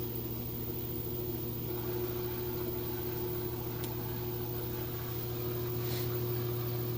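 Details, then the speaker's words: LG high-efficiency top-load direct-drive washer with TrueBalance, extra-heavy load of towels and jeans, final spin: even low motor hum, steady tone, no thumping, shaking or knocking; normal spin cycle. "it's not shaking or bumping or anything like that it's kind of surprising I'm not getting any movement out of it considering how heavy that load was"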